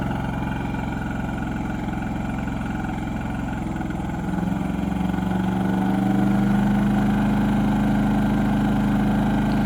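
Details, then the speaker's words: Wen 3800 inverter generator (56380i) in eco mode, taking on a 15k BTU RV air conditioner load: engine drone steps up and holds steady at a higher, firmer pitch; normal running under load. "With that, we know that the air conditioner is running there now based on the load."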